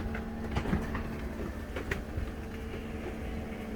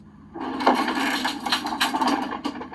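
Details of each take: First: 2004 Country Coach motorhome HWH slide-out after repair, slide back in its tracks and running out, further adjustments still needed: smooth, even motor hum at constant pitch, no clunks, scraping or binding, much better than before; normal slide-out operation. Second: 2004 Country Coach motorhome HWH slide-out brought in while not level: harsh splintering wood cracking over a low hydraulic drone as the slide grinds into the floor.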